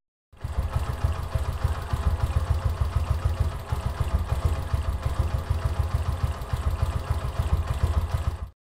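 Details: Yamaha YBR125 CV carburettor with the idle mixture screw turned right from a 2.5-turn base, reducing fuel. Low, uneven single-cylinder idle with stumbling pulses that keep dipping, close to stalling: idle mixture too lean.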